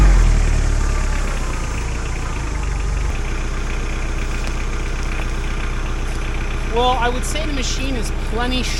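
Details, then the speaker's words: Mahindra 4110 tractor diesel after head gasket repair, holding big logs with a grapple. Steady, even drone holding firm under load, no misses or knocks; no smoke or overheating: normal running under load. "So, um, but needless to say, the engine's strong enough, healthy enough. She's not burning smoke. She's not overheating"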